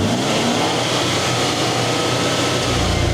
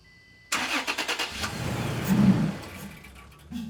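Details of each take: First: 2020 Toyota Tacoma TRD Off-Road with a newly installed K&N NextGen cold air intake, held around 3,000–3,500 rpm; smooth, even throaty intake roar, no knocks or rattles: normal healthy revving. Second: 2020 Toyota Tacoma TRD Off-Road after K&N NextGen cold air intake install and MAF cleaning: cranks, catches with a brief rev, then dies within seconds.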